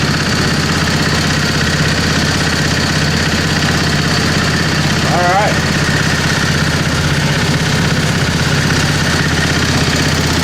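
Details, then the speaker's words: 725 engine driving under its own power after sitting a long time. A steady, even beat holding speed under load with no knocks or stumbles. It runs normally. "okay so it does does move we didn't try any of this but i'm sure i'm thinking everything's pretty much okay with this it's just had a had a while that it's been said"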